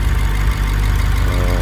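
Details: BMW 650i N63tu twin-turbo V8 (stage 2 turbos, intercoolers, meth injection, E40 tune) idling after high-output coils were installed and plugs regapped to 20 for higher boost; deep, even low rumble, no misses or knocks, healthy.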